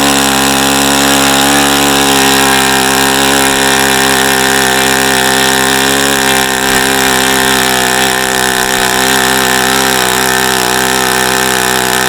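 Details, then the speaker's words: ASP FS65 glow engine, 29°F day, APC 12x6 prop, OS F plug, 5% nitro, started with much lighter fluid, warmed to 57–78°: steady high-pitched buzzing holding even speed with no misses or sag; normal running. "okay so that was a that was a good run once we got the engine started but this engine took a lot a lot"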